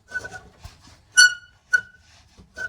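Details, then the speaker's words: Honda VFR 800Fi 5th-gen V4 motorcycle, crashed bike being readied for a trip: short high-pitched squeaks, four chirps in three seconds, from old, stuck, rusty, dry front axle bolts. "Old and stuck. Not good. Not good. This is a road bike supposed to be driven. Things supposed to be working."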